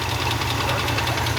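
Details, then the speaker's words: 1969 Ford F-250, believed 390 V8 with 4-speed, restarted after sitting 21 years: fast, light lifter ticking over a rough idle, returning when revved slightly. "Give it a little rev. I think the lifter's coming back. Just a little one. The lifter came back."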